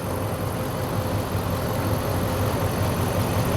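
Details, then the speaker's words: Ram 1500 gas truck (complaint: electric power steering hard to turn) with the hood open: steady, even idle, a smooth low rumble with no knocks, ticks or misses; the engine sounds healthy. "this is a 1500 truck so it's not diesel this engine sounds good"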